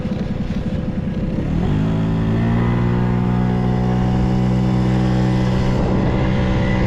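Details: Vintage Honda 12V Squash scooter (AB11-1055): uneven buzz at first, then revs up smoothly and holds a steady high tone, no knocks or rattles; healthy engine revving.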